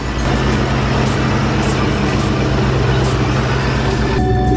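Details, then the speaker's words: Supercharged car after fixing a noise traced to the supercharger belt setup and alternator pulley: engine idles with a steady low drone, quiet and healthy, no rattle or chirp from the front; battery voltage about 14 at idle. "you sound good nice and quiet yay"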